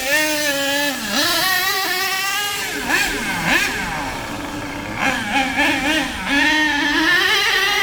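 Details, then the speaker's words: HPI K4.6 nitro engine in a Savage 21 monster truck after tuning both low-end and high-end needles, nearly out of fuel: sharp buzzing climbs and drops cleanly with each throttle pull, no misses or sag, judged more or less perfect. "I reckon now that is running M according to what I think see you tell me what you think"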